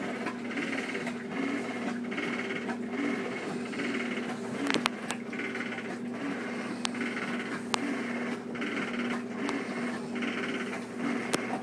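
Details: Two-year-old Whirlpool Cabrio washer during agitation (not spin): a rattle with each agitator stroke, about once a second, over the motor hum; owner suspects bearings.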